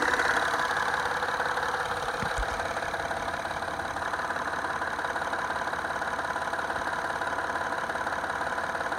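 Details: 2010 Acura TL at idle with a loud, regular light knock about three per second from under the hood; engine knocking at idle, cause unconfirmed.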